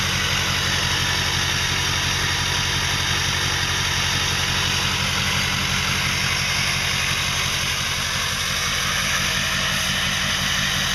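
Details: 2005 Ford 6.0L Powerstroke diesel after eight reman injectors, new fuel pump, filters and oil, about 80–100 miles since: uneven, lumpy idle with a loose knock about three a second, worsening; owner suspects harness, FICM or injector(s).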